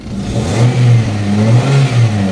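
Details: 2003 Ford Escape manual, after no-crank no-start repair with ignition coil replaced and grounds cleaned: smooth rise and fall of a rev blip settling back evenly, no knock or misfire; normal revving after fix.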